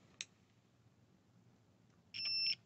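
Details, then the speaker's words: Masterclip Hunter horse clipper that would not turn on, switch tested with a multimeter: soft click, then a clear high continuity beep for about a third of a second; switch fine, fault was a slightly misplaced PCB. "and I can see I've got a contact there so that switch is fine"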